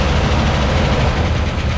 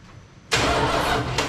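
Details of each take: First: 1979 Dodge D-100 Custom, 318 V8 automatic, first start after sitting about 10 years: steady idle with faint light ticking as lifters wait for oil flow. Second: 1979 Dodge D-100 Custom 318 V8 automatic, sat about 10+ years with no keys, cranked with a remote starter trigger: the starter spins the engine at an even pace without binding or clunking, so it isn't seized; gas smell noticed.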